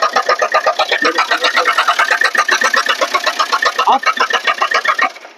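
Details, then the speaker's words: 2010 diesel Swift Dzire arriving with a strange engine noise; the oil was found almost empty. Harsh, rattly clatter pulsing about four times a second, heard before any oil was added. The engine is running starved of oil. "2010 model diesel Swift Dzire ಬಂದಿದೆ. ಒಂಥರ engine ಅಲ್ಲಿ ಒಂಥರ sound ಬರ್ತಿದೆ."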